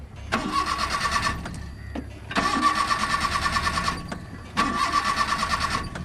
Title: Car Won't Start ! Sehrish's School Adventure Takes an Unpredictable Turn! | Pedal Pumping